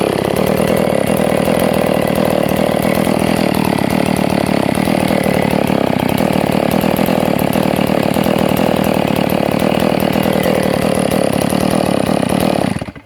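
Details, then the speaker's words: Stihl MS460 chainsaw running a brand-new fixed-jet HLIC carburetor swapped for the Walbro: strong even high-rev two-stroke buzz held over ten seconds, cutting off cleanly; runs healthy, though the idle seemed slightly choppier, possibly tuned slower. "I think the idle sounds slightly more choppy to me, but maybe I don't have it as fast as the other one, and it's getting hard for me to tell."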